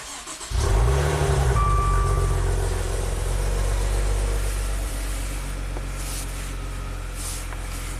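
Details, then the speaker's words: 2016 Maserati Ghibli twin-turbo at its first start after timing chain replacement. It cranks, catches at once, flares briefly, then drops to a smooth steady idle with no ticking or rattle. Normal start and idle. "it's running super smooth that's good"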